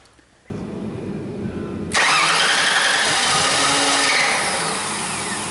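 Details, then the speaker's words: Mercury Sable with intermittent no-start, no codes, failing to restart after being shut off; starter cranks steadily but the engine never catches though it seems to want to; fuel problem, low fuel pressure suspected. "all right hold on sounds like a fuel problem cuz it sounds like it wants to kick all right just shut it off for a [Music] minute"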